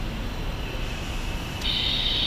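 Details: Air brake foot valve: steady high-pitched hiss leaking out the exhaust port, changing as delivery lines are disconnected one at a time; one delivery line is back-feeding, so the fault lies in the component that line connects to, not the valve.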